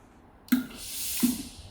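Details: Philips steam iron after replacing the hand trigger switch (fault was no water/steam on pressing): a click at each trigger press, then a strong, even hiss of steam twice over; steam delivery works properly.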